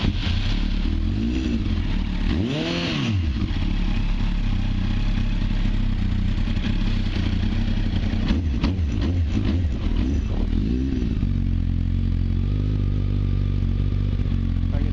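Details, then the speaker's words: Completed 1994 Honda Fireblade streetfighter project, started a bit cold: steady idle and two clean revs that drop back smoothly, no rattles or knocks; engine sounds healthy. "sounds good engine sounds sweet doesn't have any RS pretty good"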